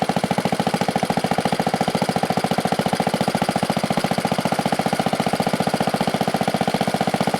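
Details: 1970 Wisconsin Model BKN 7HP flathead single, after sanding the points to fix a spark problem: quick, even pop-pop firing at a steady idle with no misses or knocks; running cleanly.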